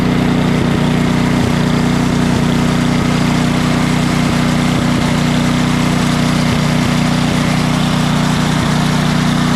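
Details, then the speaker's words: A Craftsman 28-inch snowblower with an 11.5 hp Briggs & Stratton snow series engine, previously surging off choke and dying under load from bad fuel, gives a steady, even putter with no surging after a fuel clean-out and new carburetor. "I'm just going to show you here the difference in running between what it was just doing and what it will do now that we've got it all cleaned out of that bad fuel got a new carburetor on it"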